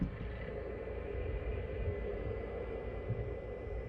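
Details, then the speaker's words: PECRON E2000LFP / EB3000 power station cooling fans, checked over a viewer-reported noise: soft steady whir with a faint thin tone, no rubbing or scraping; fans running normally. "okay yeah see I don't hear anything um no I've been a sound guy for a long time"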